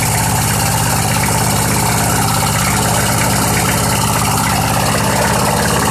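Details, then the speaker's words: Old Southland 19-inch push mower, long stored under a deck, on 90-octane pure gas: quick, even single-cylinder putter at steady speed with no misses, knocks or surging; idles smoothly. "Hey, that thing just runs. What do you know? I mean, it's running on its own. Who knows when the last time it was cranked? It actually sounds pretty dang good."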